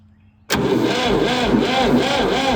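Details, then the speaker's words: Late-1960s/early-1970s Massey Ferguson 2200 forklift, Perkins three-cylinder gas engine, unused about 23 years, after fixing a poor ground cable connection: even rhythmic cranking with no grinding; normal starter cranking. "listen to that that sounds good it's like the water pump's not turning but it does turn so that's weird"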